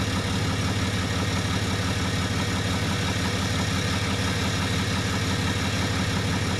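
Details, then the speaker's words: 2013 RAM 2500 6.7L 24-valve Cummins diesel, 90,000 miles, after replacing a turbo whose VGT actuator failed (limp mode) with a BD Diesel Screamer HE300VG turbo and a new exhaust manifold. Steady, even idle with a smooth low rumble, no knocks, misses or whistle. Normal idle. "I'll get a quick start up here for you guys so you can hear the 6.7 Cummins run."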